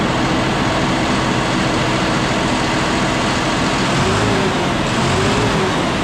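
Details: John Deere 5067E tractor, about 30 hours, after tightening the loose intercooler boost-leak clamps, loader locked out: even, steady diesel drone under light load, no turbo whistle or surging; running normally.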